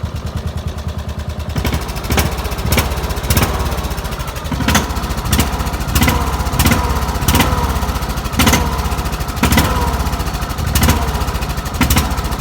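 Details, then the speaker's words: Petrol tractor engine running on diesel fuel: steady single-cylinder chug with sharp metallic knocks every half second to second; knocks when given throttle, runs on diesel but won't start on it; engine knock from diesel fuel. "But I put diesel in it, and this is what it does. If you listen closely, you can hear it knocking."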